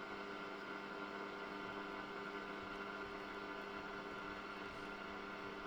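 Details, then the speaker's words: 1974 Hacker Super Sovereign RP75-MB transistor radio before repair: tuning across dial gives only steady hiss with faint hum, no stations; oscillator suspected not working. "So nothing on there. So it sounds like the oscillator is not working."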